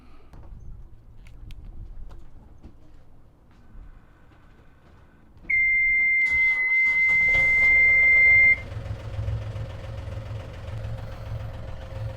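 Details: Yanmar 3JH4E marine diesel on a catamaran, test run after replacing the broken front crankshaft oil seal and topping up oil: steady high warning buzzer for about three seconds, then a low, even idle without knocks; running normally, no oil leak seen yet.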